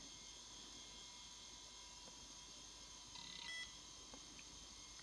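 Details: Toshiba T4500C laptop with a P30 error, hard drive reformatted with DOS 6.21: faint steady hiss, then one short clean beep. Memory check passes and it boots to MS-DOS normally.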